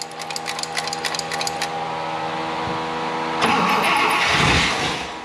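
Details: 1960 Buick LeSabre, replacement 364ci nailhead, rebuilt unadjusted carburetor, broken distributor lead wire found: starter churns about four beats a second, brief rushing cough, never catches; cranks without starting.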